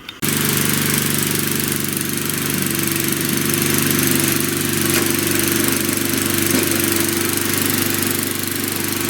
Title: 1997 Murray Ultra 22" Two-Stage 5HP Snowblower